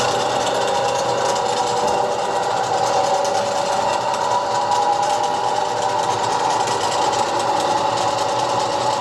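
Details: Soviet STD-120M lathe, first start after major overhaul: steady even mechanical hum with smooth gear whirr, no knocks or surges; runs cleanly and healthy.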